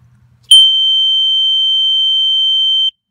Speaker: it will make a loud noise I'll show you that means it's exactly level if you drop down the noise goes away